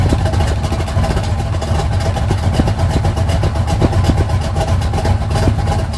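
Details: 1980 GMC Sierra C15 with junkyard L31 Vortec 350 (130k-mile pistons/rods, 9.5:1), Summit K1107 .488/.510 lift cam, Performer RPM intake, 600 Holley, Flowtech headers, Thrush turbo mufflers; cold start, uneven choppy lope with odd rev blips, mic clipping; rough lopey idle.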